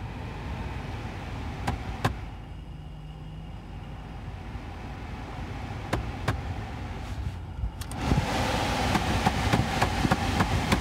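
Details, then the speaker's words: 2008 Vauxhall Corsa D heater blower with manual controls, speed varying and bogging down while driving: tapping the housing makes the fan's rough whoosh surge then sag; faulty blower motor, later proven with oscilloscope and thermal camera. "When I was driving it back here, the speed of the fan would vary during the journey on its own, even though it's manual controls. The motor would bog down every now and again."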